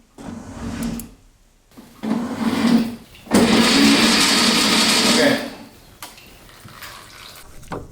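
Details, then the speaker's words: Rebuilt 1965 VW Beetle engine cranked with spark plugs and oil filter removed to prime the oil system: several bursts of quick, even starter whirr with no compression beats; spinning freely as expected. "The oil filter is out to see when we have some oil flowing out. Once we have oil, we'll put the filter on, we'll put the plugs in, and try to"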